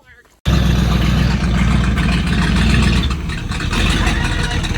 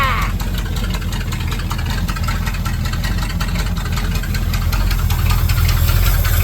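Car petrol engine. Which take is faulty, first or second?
first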